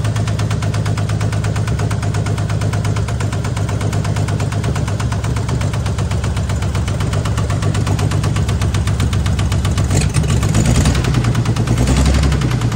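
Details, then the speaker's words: 1978 AMC Hornet (year uncertain), carburetor idle being adjusted: heavy, even knocking under a rough low idle; owner suspects a rod knock, not confirmed. "sounds like a rod knocking [Music] sure sound like a rod knocking to me"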